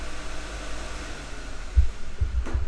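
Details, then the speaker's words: Project car's oil cooler fan beside the microphone, toggled on, drawing about 2.6-2.8 amps: soft steady low whoosh, no rattle, grinding or wobble over quiet background; normal running. "we will try the oil cooler fan right beside me here let's toggle that sweet again same about 2.6 2.8 amp draw"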